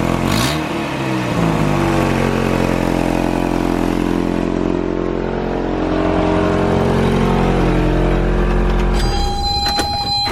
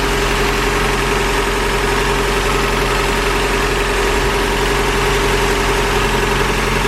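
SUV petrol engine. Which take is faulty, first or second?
first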